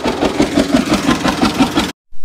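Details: John Deere G tractor: lumpy, uneven putting at roughly five beats a second with missing firing pulses, then cuts out; running on only one cylinder, still same after distributor cap check, owner suspects the plug wires.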